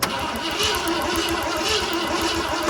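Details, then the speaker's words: 1969 Ford F-100 that sat for years with a formerly locked-up motor cranks fast and evenly but never fires; the points work, so the owner suspects a fault between the distributor cap and the spark plugs. Crank, no start, no spark. "So our points are working as they are supposed to. Something in between the distributor cap and the spark plugs is not working correctly."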